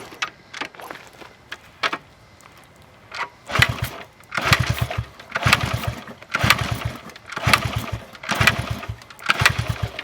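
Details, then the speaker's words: 1974 Honda XR75, 48 years old: after cleaning fuel, oily plug, low crankcase oil topped up, kicked about once a second; short churning compression bursts with no firing or catch, kick-start no-start. "I add some oil and kick it over a few times to see what I get absolutely nothing"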